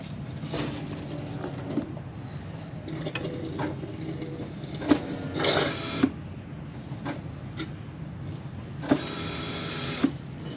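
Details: 1999 Jeep Wrangler TJ in-tank fuel pump, key-on priming: short, even electric whirs of about a second each with every key-on, without strain or rattle.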